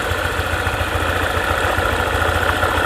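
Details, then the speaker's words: Honda ADV 150 scooter (about 2020) at idle: light ticking of three or four clicks a second over the engine from the CVT area; it disappears when revved and returns after settling back to idle, cause not yet found. "Klik, klik. Nah, itu dia suaranya, ada bunyi klik. Mari kita coba memacu mesinnya lagi. Sudah hilang. Namun setelah beberapa saat, suara itu muncul lagi."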